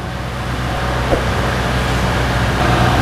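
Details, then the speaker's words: Toyota Innova AC after compressor replaced, freon recharged and compressor oil filled: engine idles smoothly with AC on, steady hum, earlier clicking and squeal gone, vent at 7°C; normal AC compressor operation. "bunyi kompresor telah hilang ya karena ini kompresional telah baru tidak ada lagi bunyi cetak cetek dan bunyi cicitnya"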